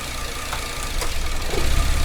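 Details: 2008 Cadillac CTS 3.6L GDI V6, six months after timing chain replacement, misfire codes cylinders 2 and 5, plugs and coils fine: lumpy uneven idle with rattly clatter and clicks; rough idle, suspected bad cam phasers/actuators or ECM signal.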